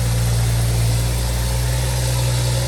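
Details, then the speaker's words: BMW M135i just rebuilt after the engine seized (crankshaft journals ground), first cold start after long cranking: a deep, steady hum with even revs and no knocks or rattles, slightly loud while cold. The engine idles cleanly. "135i is alive as you can see the revs are sitting perfect it's a cold start obviously so it's a bit louder than usual"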